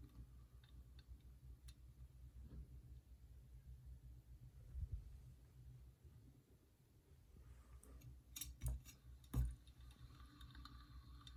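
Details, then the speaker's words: Ceiling fan spinning, disassembled without removal from the ceiling: low hum with faint, uneven ticks and a few louder knocks; the bearings click gently, the louder ticking being investigated. "but also the bearings make gentle click which means they're much quieter than the ticking you'll hear"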